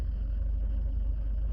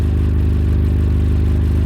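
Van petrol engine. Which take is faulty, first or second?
second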